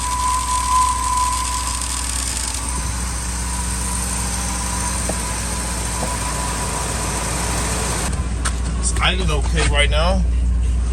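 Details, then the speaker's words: 2000 Ford F250 5.4 2V V8, cold start in freezing weather after sitting a few days: lumpy, hunting idle that stumbles when given gas; rough cold idle from a dirty idle air control valve and throttle body. "just give it some [Music] gas y you guys hear that it sounds terrible"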